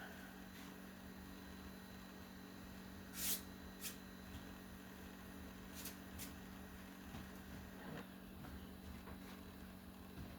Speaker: Definitely can hear the hard drive clicking, clinking away, clinking away, and away it goes.